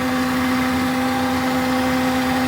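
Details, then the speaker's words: Daihatsu Rocky, camera near the wheel at idle: constant high-pitched whine, steady in pitch and louder than the engine, vibration felt through the hard lines; a cheap, faulty fuel pump that had failed and dumped fuel. "do you hear that that is ridiculous it's louder than the engine itself the high pitched wine"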